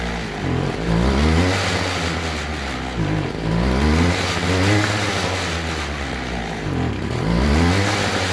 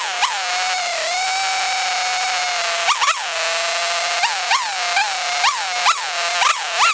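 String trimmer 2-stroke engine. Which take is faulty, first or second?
first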